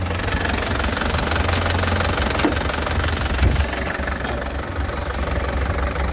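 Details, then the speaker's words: 2012 LV Turbo diesel, low km and rarely used, no blow-by, engine already warm from recent driving: even, firm diesel clatter at idle, solid and crisp, no stumbles or odd knocks; normal idle. "Ini suaranya masih kental ya. Suaranya masih kental. Stasionernya juga enak, renyah ya."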